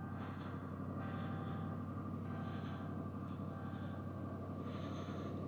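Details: 2011 Chrysler 300C 5.7L Hemi after replacing the starter relay for a no-crank, no-click no-start. Steady, even idle with a smooth low rumble and no knocks, misses or stumbles. It is running normally.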